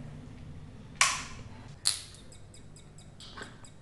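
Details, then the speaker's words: Doorbell under repair, powered on for testing: two sharp clicks, then only a faint, thin chirping where a full chime should ring; weak, faint doorbell chime. "दोस्तों शायद आप हल्की सी आवाज़ सुन रहे होंगे इस वक्त इसमें से मैं आपको सुनने की कोशिश करता हूं तो कुछ इस तरह की हल्की सी आवाज़ इसमें से ए रही है"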